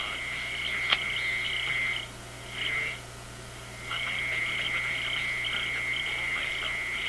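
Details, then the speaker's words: Zenith G615 tube radio (chassis 6G05), six tubes, no transformer, no antenna, picks up raspy buzzing chatter cutting in and out from an office computer in sleep mode about 20 feet away. "That is my office computer, which is about 20 feet from here, and it's not on. My office computer is in sleep mode, and this is what it generates while it's sleeping."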